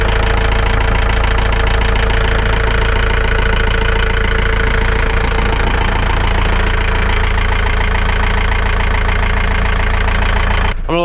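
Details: John Deere diesel after replacing dry-rotted, leaking fuel line and priming the fuel system: steady even chug at settled idle, low regular beat, no misses or knocks; runs clean.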